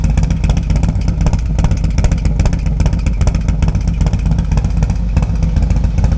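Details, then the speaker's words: 2024 Harley-Davidson Road Glide M8 with a .520 lift cam, tuner, air cleaner and Fuel Moto Jackpot 2-into-1 exhaust at idle: deep, loping, throaty idle with steady uneven-firing pulses and no mechanical clatter; healthy cammed V-twin. "they have the same cam shaft the same tuner the same air cleaner but they have different pipes let's go ahead and see what the Fuel Moto pipe sounds like"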